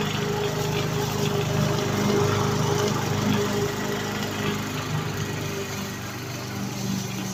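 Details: Victa petrol lawn mower after repair, blades refitted, previously stuck at full revs with throttle not adjusting: small engine runs at steady, even speed with no misfires or hunting, partly masked by music; running normally.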